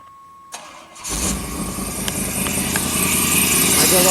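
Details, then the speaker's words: 1991 Chevy Blazer 350 TBI started stone cold after sitting about two months: brief crank, catches at once and settles to an even steady idle; healthy cold start. "the things ice-cold it's ice-cold it hasn't been started it should start right up"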